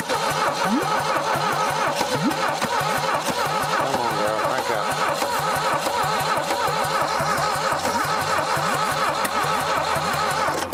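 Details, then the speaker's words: 1968 SAAB revived after decades abandoned, cranking slowly after oil was put in the cylinders; compression only 60 on one cylinder, 100 on the top: starter grinds with weak, even pulses and never fires. Slow cranking, no start from low compression. "it just don't have enough when we had that oil in the top of it but after that it kind of stopped so after we put a little bit of oil down in these cylinders the compression come up just a little bit but we're still only at 60 on this one"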